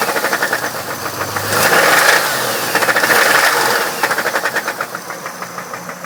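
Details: 1997 Camaro with 3800 engine, a bad motor; sharp, rapid ticking knock at roughly three per second over the idle, carrying through a throttle blip; internal engine knock.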